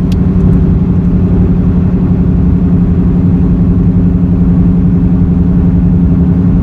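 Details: Car while driving straight and turning: steady low droning helicopter-like roar rising with road speed, louder in left-hand turns; tire or wheel bearing suspected.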